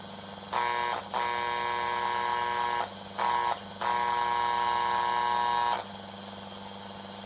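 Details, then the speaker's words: American Flyer Gilbert 491 Northern Pacific Alco B-unit diesel roar and horn sound unit after repair: steady low buzz with three reedy horn blasts, working normally; before repair it made a constant high-pitched buzz. "so there you go I think we've got ourselves a renewed and fully functioning diesel roar and horn equipped American Flyer Gilbert 491 Northern Pacific be in it"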